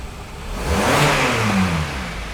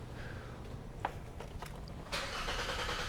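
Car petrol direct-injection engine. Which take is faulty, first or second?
second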